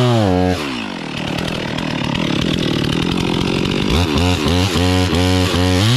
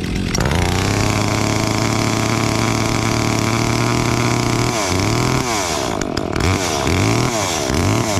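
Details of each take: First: Brand-new stock chainsaw felling a Norfolk pine: near full throttle, bogging and labouring in the cut then revving back up between passes; stock chain dull and dogs too small, not biting well. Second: Brand-new Stihl MS 362 chainsaw, started before a job: even, buzzy two-stroke idle holding steady for several seconds, then a few short throttle blips; idles cleanly.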